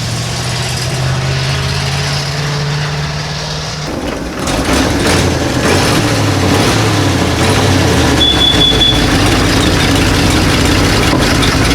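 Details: 1937 Ford V8-60 flathead idling after first start on a new 6V electric fuel pump; uneven stumbling beat, not firing on all eight, running on five or six, owner suspects flooding and a couple of fouled plugs; misfire.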